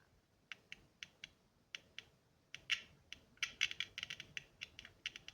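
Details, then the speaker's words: Piezo buzzer from a 12 V doorbell whose board blew on 220 V, tested directly at about 3 V: irregular sharp crackles and clicks in uneven bursts; buzzer seems intact. "buzer Sağlam gibi buzer sağlamsa devreyi her türlü çalıştırırız"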